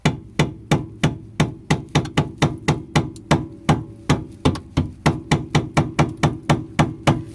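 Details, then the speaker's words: Rear stabilizer on a 2003–2011 Honda Element rocked by hand gives sharp metallic clunks about three times a second, metal digging from worn end links; end links and bushings to be replaced with OEM parts. "kind of hear a little bit of metal digging well it's typically these end links are bad so you have to change those out"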